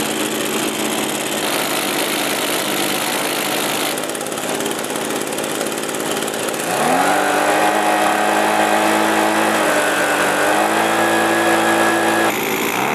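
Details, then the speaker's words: Echo PB-265L backpack leaf blower after carburetor replacement: small two-stroke fires at about seven seconds and settles to a steady even buzz with clean revs; running properly. "good well that's good that it works I'm very happy with that"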